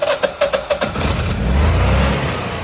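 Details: Generac Guardian generator with cold weather kit and new battery, after over-crank faults, gas regulator suspected frozen and warmed with water: a few cranking pulses, then it catches within a second and settles into a steady run; starts normally.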